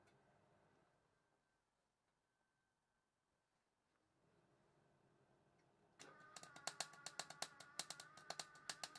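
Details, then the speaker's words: Clarke 120E MIG welder, about 20 years old and suspected worn out, welding sill panel on Volvo 480: quiet, then uneven spitting crackle with irregular pops instead of a smooth sizzle; erratic sputter, splattery but holding, cause unconfirmed. "well you can hear i still haven't quite got the welding right but and it does look very splattery but it's actually holding"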